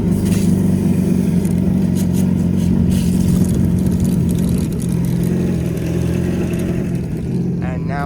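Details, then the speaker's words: 2021 Yamaha VX Cruiser HO jet ski running on a flush hose after resetting the service-hours wellness counter: steady, even engine drone with no alarm beeps or red triangle warning light; normal running. "as you can see now it's perfectly fine no beeping no warning lights"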